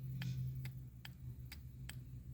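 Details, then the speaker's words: Ford Focus EGR vacuum solenoid (exhaust check valve) bench-tested with power via alligator clips: five crisp, evenly spaced ticks as it opens and closes on command over a low hum; solenoid works normally. "it works yeah opens close open close"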